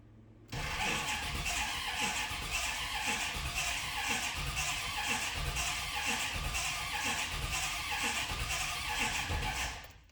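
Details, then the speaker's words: 1988 or 1989 Corvette C4 V8, sat abandoned over winter, cranking in park: uneven galloping starter cranking, a couple of lopes per second, never catches; spark present, crank no start. "I was just cranking again. I think the fan, fan was still spinning there. I have spark, so we're halfway there."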